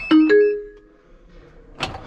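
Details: Combine harvester cab warning: two quick chimes settle into a held tone, then another chime follows, signalling low brake fluid level and a weak battery that had read zero.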